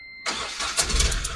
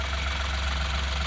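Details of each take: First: Ashok Leyland Bada Dost LS diesel with complaints of noise and poor pickup, no warning lights: runs rough with a sharp, hissy chuffing tick over the clatter, like a misfire. Mechanic suspects a failed injector washer leaking combustion gas. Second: Ashok Leyland Bada Dost LS diesel after carbon cleaning and injector washer replacement, no warning lights: steady, even idle with a smooth low drone and no knocking or ticking. Normal idle; noise and rpm now fine.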